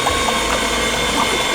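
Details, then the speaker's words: Suzuki Sierra after floating in a deep river, cranked with spark plugs out: fast, even cranking with gurgling, splashing bursts over a rough hiss as water is blown out of flooded cylinders. "so what we're doing here is we're just cranking the engine over cuz if there is any water in there as you saw there is we're just trying to get it all out"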